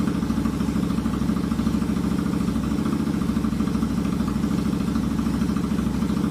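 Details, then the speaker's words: Royal Enfield Continental GT 650 twin at idle in neutral, just after a valve adjustment and first oil change; fires right up, even, steady idle thump with no ticking or knocking; healthy idle. "All right, it's in neutral. Here we go. Fire right up."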